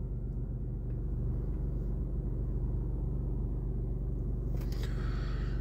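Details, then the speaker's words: 2016 BMW 1 Series restarting normally after its Target Track GPS alarm engine cut-off was re-enabled via the app: low, steady idle rumble with no knock or tick and no check-engine light. "Και ξεκινάει και πάλι κανονικά, χωρίς check engine και το παραμικρό πρόβλημα."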